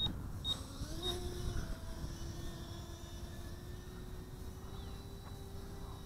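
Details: GoolRC G90 Pro brushless micro FPV racer drone, 1104 8000KV motors, five-blade 1935 props that had been bent and straightened after a tree crash: quiet steady high tone in acro flight, no rattle or buzz; motors and props healthy.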